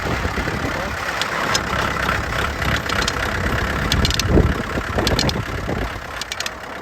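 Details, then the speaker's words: Early-1990s Kubota L3450 4x4 diesel tractor, neglected, rolling slowly: irregular popping and gritty grinding from the front right wheel, caused by loose lug nuts; gone once the flat tyre was fixed and the wheel secured. "So, that sound was actually the lug nuts that were loose on the wheel."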